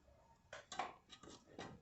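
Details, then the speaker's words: 1999 Toyota SW front suspension when steering is loaded: sharp metallic snaps and clicks as the upper control arm ball joint shifts because its retaining lock fails; worn upper ball joint clunk. "o que acontece pessoal quando ele estressa essa peça se desloca e claro dá um barulho bem forte tá"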